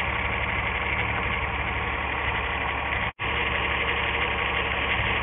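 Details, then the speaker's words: 1997 VW Eurovan, 2.6L VR6 AES engine, waste-spark coils, multiple codes; with number six plug lead pulled, rough uneven idle unchanged, no spark tapping. Misfire from dead ignition coil on the paired circuit. "once again i have it out no change in the effect of the engine running and no no no tapping noise where the spark's jumping"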